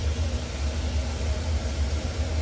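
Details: Newly installed ECA combi gas boiler after a combi swap, on hot water demand: steady low burner roar with soft even hum, no knocks or whistles; normal running.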